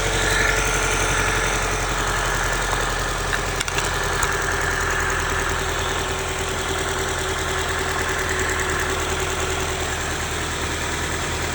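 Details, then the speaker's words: 1995 Honda Civic, D16Z6 1.6 L inline-4, idling during a misfire diagnosis, injectors unplugged one at a time: uneven, lumpy idle with faint stumble; little change when this injector is pulled, so this cylinder is suspected as the misfiring one. "You can tell right there the performance didn't change that much. So, I suspect it's going to be that cylinder."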